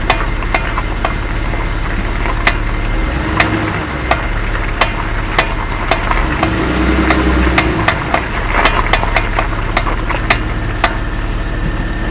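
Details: Jeep Wrangler JK, front left wheel: sharp irregular clicks, one or two a second, over steady idle, occurring when turning hard left; front axle universal joint bad, found with broken needle bearings, replaced.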